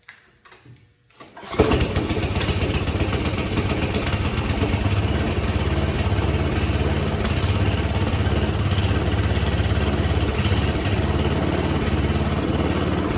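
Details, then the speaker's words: Free roadside snowblower small engine, stale fuel drained: after a brief pull it fires but runs rough with uneven stumbling beat; dirty carburetor, jets in brass bolt need cleaning, float needle seat later lost. "I got this bad boy to fire, but she's still running rough."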